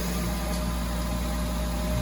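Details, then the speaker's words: Honda Odyssey at idle after the failed Dayco timing belt tensioner was swapped for a modified adjustable one; the earlier knocking is gone and it gives a steady, even low hum. "So, it was knocking down there earlier, and that knocking noise went away, so that was the tensioner."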